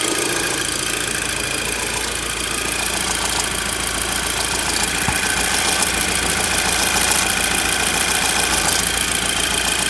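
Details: Audi TT petrol engine idling with a busy, tinny metallic rattle from a worn timing chain and tensioner; fixed by replacing the cam chain and tensioner.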